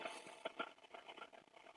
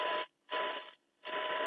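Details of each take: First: Eddystone EC10 receiver, just fully aligned, tuned around 20 MHz indoors without an outside aerial: rough crackling buzz with a faint steady tone buries shortwave reception; indoor interference, not a set fault. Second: Eddystone EC10 receiver after multi-band alignment, 1 kHz test tone at about one microvolt mid-dial; clean tone in steady bursts over faint hiss, showing good weak-signal reception.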